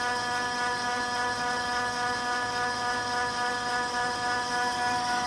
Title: OKI C931e printer making loud noise at startup